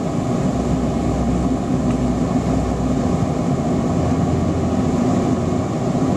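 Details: Torpedo waste oil burner running on waste vegetable oil, lit with diesel and burning paper instead of gas preheat: deep, even roar with steady flame, no sputtering or popping, burning cleanly; normal.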